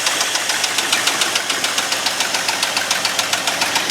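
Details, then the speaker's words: Abandoned 1989 Ford F250 5.8L V8, after fixing the battery and fuel injector wires: loud, quick, even ticking pulses over a raspy exhaust, steady throughout. Now runs like a normal engine, though loud. "all right it actually sounds like a normal engine for once"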